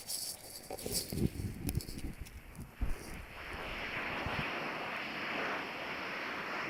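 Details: 2010 system coil leak, pumped up to 300 psi; not found by eye, ear or trace-gas tester. With the ultrasonic detector near the coil, handling knocks then a steady even hiss.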